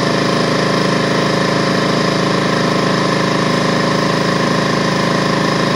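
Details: DeWalt 4.5 gallon air compressor after no-start repair; steady fast regular pump chatter with no knocks or squeals while building pressure toward 200 psi cutoff; normal running.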